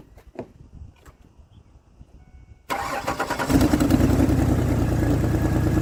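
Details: 2003 Ford Explorer that failed inspection for misfire, after replacing bad ignition coil: starts cleanly, revs climb, even steady beat, smooths out with throttle: normal running.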